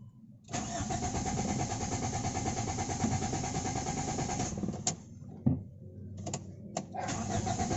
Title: AEFE 92 ENG. HARD STARTING ENGINE ISSUE DONE.